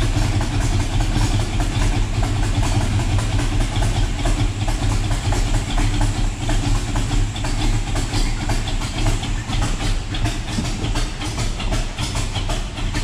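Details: Chevrolet El Camino V8 just after first start on newly installed Holley EFI with electric fuel pump, EFI self-learning: deep, steady idle, even low rumble, no misses or knocks, settling in normally.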